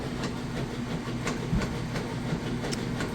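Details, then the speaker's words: Whirlpool direct drive top-load washer, full water submersion with towels: even swishing surges about twice a second as the agitator reverses and fins vortex the clothes, no knocking or grinding; normal wash agitation. "It's vortexing those clothes down along these fins on the bottom, then they get shot back up the side, and then it just keeps doing that repetitive motion. But all of these different fins and stuff help with the agitation."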